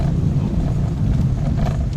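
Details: 2025 Mitsubishi Mirage that made a driver-side noise over bumps after getting stuck in mud, heard after repair on a rough road: steady low rumble with no knocks or thumps. The suspension clunk is gone.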